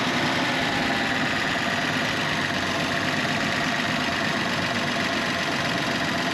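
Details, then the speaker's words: 36-year-old Toyota Land Cruiser 60 Series idling about 850 rpm after tank sender cleaning: steady high whine over the even idle, pump audible over the engine; owner suspects a failing fuel pump, not confirmed. "I know probably sounds loud on this camera but I can hear the pump screaming over the engine so that's a definite problem"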